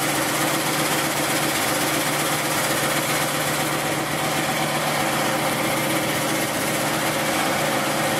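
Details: Basket-case GMC run after the spark problem was traced to unchecked plug wires and the correct carburetor gasket was fitted: a steady, even idle that holds without hunting or stumbling under a hissy background, warming with the block steaming. Normal idle.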